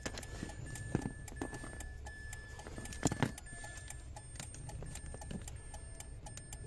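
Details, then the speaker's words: Mitsubishi Mirage hatchback with push-button start, no click, no crank and a blinking key: a quiet, repeating high beep chirps continuously with no crank. The alarm is active, so the car won't start. "Yun oh pagka ganyan kasi ano yan nag-aalarm nag Hindi aandar yan"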